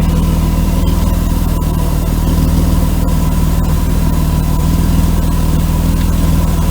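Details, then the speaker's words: 1992 Mercedes W124 300E at idle with a temporarily patched, holed exhaust pipe. Sharp, rapid puffing about four times a second over the rumble. Exhaust leak; a new pipe section, probably 2.5-inch, needs to be welded in. "Yeah, it definitely needs a new piece of pipe there, so I'll get a hold of neighbor Rick over there across the street."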